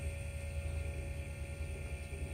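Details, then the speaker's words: Mercedes CL55 central locking pump repaired (solenoid problem); the locks work, but leaking close-assist/trunk-assist hydraulics leave a quiet, steady pump hum running on without cutting out, overrunning too long. "I do have leaks in my clothes assists so we're gonna just wait until it paused or in but pump runs for too long you can still hear it one"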